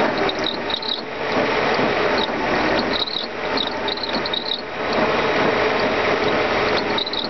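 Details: Mercedes M119 engine running: quick irregular ratcheting chirps and rubbing squeaks in bursts; worn secondary air pump pulley.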